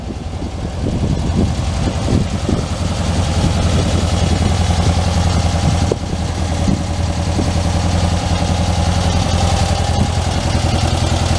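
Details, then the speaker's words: 1967 Volkswagen Karmann Ghia convertible, first start in a long time after the oil cooler leak was fixed and it was reassembled: smooth, low, even idle thrum with a steady beat and no ticks or knocks. No oil leaks; it runs and drives fine, though the idle needs sorting. "all right well no oil leaks it runs and drives just fine runs just fine"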